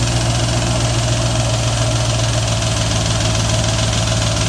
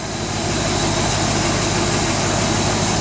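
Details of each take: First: 1995 BMW E38 740i M60B40 V8, first start after replacing the timing chain tensioner without priming it with oil: rapid metallic clatter over idle that settles after about six seconds as the tensioner fills with oil. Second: 1995 BMW E38 740i M60B40 V8 idling after timing chain tensioner and camshaft position sensor replacement: steady, even hum with no knocks, ticks or rattles; normal idle, running a little rich.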